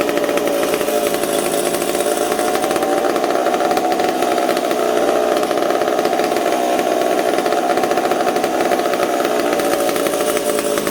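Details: McCulloch Super Pro 70 chainsaw on the bench in warm shop (about 20°C): running at high revs with pitch drifting rather than holding steady; suspected intake air leak, stumbled when intake boot sprayed, owner also suspects decompression valve leaking.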